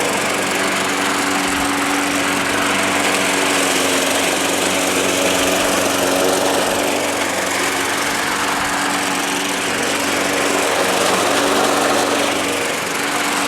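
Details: Small engine that sat all winter, primed about five times: holds a steady, even buzz throughout with no surging, misses or knocking; it runs well.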